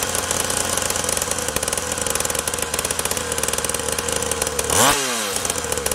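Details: SYX Moto Holeshot 50cc two-stroke after spark, carburetor and pull-start repairs, idle screw being adjusted: buzzes evenly at a fast, steady idle with crisp regular firing pulses and one brief blip; running cleanly.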